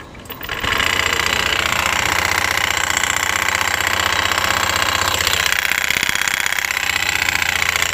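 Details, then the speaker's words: Honda Beat FI, reportedly repaired under a month ago, running with CVT cover off: harsh metallic clatter over steady high drone, rough even at idle; pointing to worn front pulley rollers rattling. "tidak pernah Saya nyalakan lama-lama suaranya cukup ngeri Saya takut ada benda yang lepas terus terlempar"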